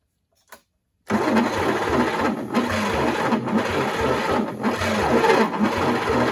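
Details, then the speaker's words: Rusty, water-damaged 1940s GMC 270 engine for a 1942 Chevrolet G506, first attempt in 20+ years on chainsaw-mix gas: steady cranking with occasional weak exhaust puffs and compression felt, but no catch. Owner suspects timing 180° off; the starter is getting warm. "well it sounds like she's hitting i can hear exhaust puffing out a little bit and i feel compression over the carburetor when i was trying to choke it by hand there you know i might have it 180 off i'm not sure yet"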